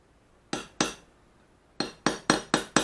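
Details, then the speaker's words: Japanese plane back blade during ura-dashi, now supported on a pig-nose block under its hollow back: seven crisp, dull, evenly damped hammer taps with no ringing — the correct sound; striking it unsupported would stress or crack the blade. "아 돼지 코에 가 되고 치면 이 소리가 납니다"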